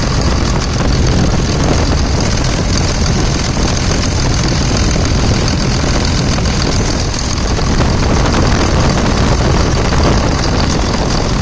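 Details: 2000 Dodge Ram 2nd-gen Cummins diesel at idle, after bypassing the AC compressor pulley with a 65" non-AC serpentine belt aligned on the water pump pulley and routing checked at the harmonic balancer: deep, steady clatter, no squeal, chirp or belt slap; normal idle.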